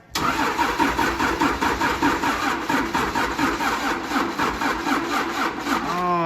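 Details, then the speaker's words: 1953 Mack A40 with swapped-in 24-valve 5.9 Cummins diesel, old antique battery: starter turns the diesel over in slow, laboured pulses about two compressions a second, never catching; probably a weak battery that can't supply cranking power. "a nice antique probably dead battery well we can throw the charger on it and the jump pack we'll make her happen"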